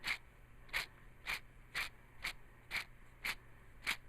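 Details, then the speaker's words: 1996 Jeep Cherokee XJ, original clutch at 262,000 miles, chattering but not slipping: removed throw-out bearing spun by hand gives gritty crunching bursts about twice a second; disc springs worn out, pilot bearing and rear main seal also replaced. "these springs are all wasted now throw out bearing can you hear that"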